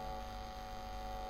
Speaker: Now, let's see what happens if we connect it up wrong way. What will happen? Will it increase the noise or decrease it or whatever? Theoretically, it should increase the noise.